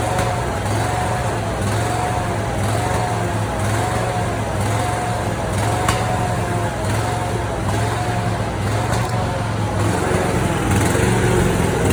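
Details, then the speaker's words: Simplicity Prestige mower with a 27 hp Briggs & Stratton V-twin and original Nikki carburetor, before replacement with a Chinese carb; rough idle with irregular sharp pops and one louder crack; backfiring from the faulty carburetor. "I'm gonna go ahead and run the mower itself so you can hear how it's backfiring and popping."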